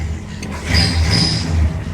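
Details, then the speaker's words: Bagged 1965 Cadillac V8 after breaking down on a cruise, being restarted after repair: short crank, then catches almost at once and settles into a steady rumble; starts cleanly without hesitation, though battery voltage later reads low. "simple as that but she cranes right over no hesitation no issue at all"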